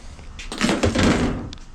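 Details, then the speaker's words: OBS Chevy truck hinge swung in a quiet shop: short creaky squeak from the hinge bushings and pins, which are to be upgraded on both sides. "you guys hear this hear that squeak right there so the whole reason why i'm actually taking these off here on both sides is because i'm going to uh upgrade both the bushings and the pins"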